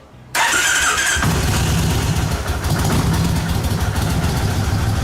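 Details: Kawasaki Vulcan 1600 Classic V-twin started right after oil and filter change and pre-filter screen cleaning; catches at once and settles into a steady, even loping idle with no knocks or ticks: normal start and idle.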